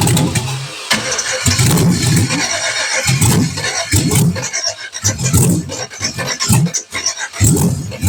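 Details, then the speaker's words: Hard start on the first-ever startup of a freshly built engine, with no exhaust fitted: repeated choppy cranking bursts and uneven firing that won't settle. It started once given a little throttle with the mass airflow sensor hooked up. "I was having give me a hard time and all it was is I just needed to give it like a little bit of the throttle and have this thing the mass airflow hooked up to a little bit but it started"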